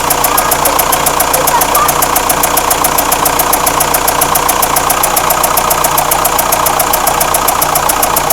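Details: Renault Espace 4 2.2 dCi diesel at idle: sharp, evenly spaced metallic tick about two per second riding over the engine, steady throughout; engine knock, cause undetermined.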